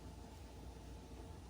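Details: Gas oven burner after replacing the ignition part under the oven floor: steady, soft low roar lighting and running evenly, with no clicking; fixed.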